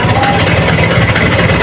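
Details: Vespa Excel two-stroke at idle after refitting the old clutch (a new replacement clutch had made noise): short, steady, even low putter with no slipping or rattle as the clutch lets out. Runs clean.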